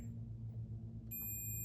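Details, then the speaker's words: Arcade monitor chassis: multimeter gives a steady, unbroken high continuity beep across the horizontal output transistor, showing it is shorted and blown. "The hot on this chassis is shorted."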